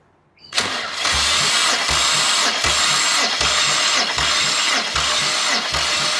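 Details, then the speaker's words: Compression test on a removed BMW N54 engine from an E90 335i, cranked until the needle stops climbing: even, regular pulses about three a second; cylinder one reaches 200 psi, healthy. "uh now i did just say on camera then and that it was only 150 psi but that is actually gone to 200 psi"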